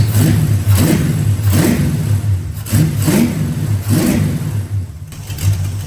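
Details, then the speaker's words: Mustang with a rebuilt carburetor after throttle-response and detonation issues, fuel lines tightened: the engine surges and sags about once a second instead of holding steady, uneven, inconsistent running. "It seemed to be running better, but it also was still just kind of like a hit or miss type deal."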